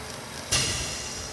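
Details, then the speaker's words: Hyundai HB20 with engine noise and power loss, leakdown test at 90 PSI under 60: steady rush of air hissing from breather as compression passes scored piston rings into crankcase; oil spits from dipstick tube running, needs full engine. "tá passando a compressão tá passando para baixo do motor quando a gente funciona eu tirei a vareta do óleo ele começa a cuspir óleo"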